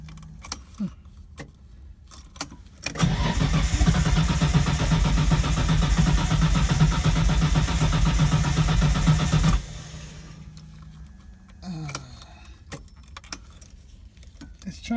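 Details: Datsun 240Z with RB20DET swap, after the injectors were bench-tested as working and refitted: a steady starter churn of about four beats a second for six seconds with no catch. Extended cranking, no start; it later started, smoky.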